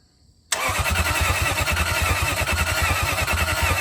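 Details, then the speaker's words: 2001 Lexus IS300 with 1UZ V8 swap, after the missing block-to-chassis ground wires were connected: the starter kicks in sharply and spins the engine at an even, brisk beat, about three pulses a second, healthy cranking. "hopefully this thing's going to crank over this time [Applause] well it's cranking over that's a good"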